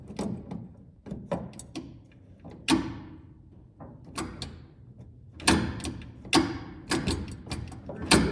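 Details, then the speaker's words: 1970 GMC C2500 column shifter after steering column repair and detent plate alignment: sharp clicks in uneven bursts through P-R-N-D-2-1, some lagging the lever. Transmission seemingly engaging late; linkage may need shortening. "can kind of hear the transmission clicking it weird times after it's seems like it's already in the position it should be in"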